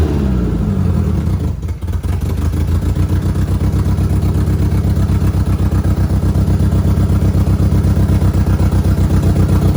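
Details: Audi B5 A4 first start on a standalone ECU, running after the ECU was told an opposite firing order to work around suspected mis-pinned harness or wrongly defined outputs. Catches and holds a steady, even exhaust throb about four pulses a second; every cylinder firing, still untuned.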